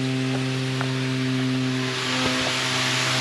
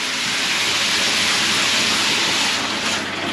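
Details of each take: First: House with a roof header tank feeding the hot water cylinder, hot tap open and shower pump running: a steady droning moan with hum and hiss rattles loudly through the copper pipework, from a vibrating ball valve in the tank. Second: Loft header tank after replacing the worn-out ball valve, with shower pump and hot tap running: steady, even hiss of water with no hum, buzz or vibration from the tank valve; normal quiet flow.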